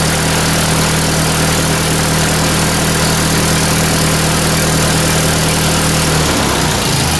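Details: 1944 Ford 2N tractor after installing a new governor and governor oil line bypass from the filter, choke used: steady, even low idle with no knocking or rattle from the governor area before shutting off; normal idle.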